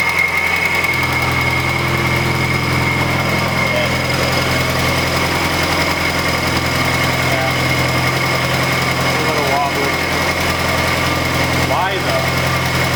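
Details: Turbo Nissan Z at idle after getting running again: thin high whine with faint rattle; odd noise, source unclear.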